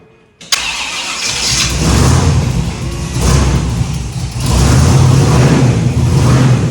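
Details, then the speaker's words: Shop truck with freshly rebuilt 409 small-block Chevy V8, start after assembly; starter catches and it fires at once into a deep, steady rumble without stumbling, a healthy start. "We wanted to get the first start off my camera, but we didn't because I had Liberty crank it to just to check the timing, and as soon as I got the timing close, the thing fired right up and I had the camera off."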